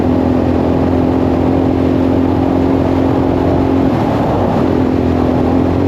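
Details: 1984 Yamaha XT600 single after swapping wrong-sized carb jets for correct standard jets, new spark plug, desert test up to 75: pulls hard and even at wide-open throttle with a steady drone, no breaking up; off-throttle popping possibly slight leanness.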